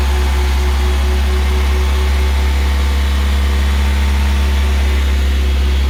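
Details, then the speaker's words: Newly rebuilt Audi A4 B5 1.8T engine with GT2860RS turbo on its first run-in cycle: 20 minutes held at 2000 rpm on 10W40 oil. A deep, even hum at steady fast idle with no knocks or ticks; it runs smoothly and healthy. "Esimene töötsükkel oligi siis see 20 minutit. Selleks hoidsime siis 2000 pööret terve selle aja."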